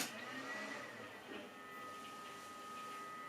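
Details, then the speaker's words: Compaq Presario SR1000 desktop powered up for the first time in about three years; faint steady hiss with thin constant high whine right after power-on, from the CPU fan alone since rear fan is unplugged. Loud CPU fan. "you can probably hear that that's quite loud and that's just the cpu fan because the back one isn't plugged in"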